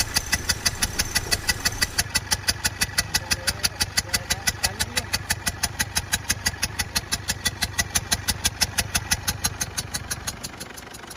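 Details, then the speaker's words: Ford Endeavour diesel at idle with misfiring: sharp, uneven tick-and-thump beat about three times a second; light smoke, heavier when accelerating. "ये है Ford endeavour, इसमें miss firing का इशू आ रहा है, जिसे कुछ लोग मिसिंग भी कहते"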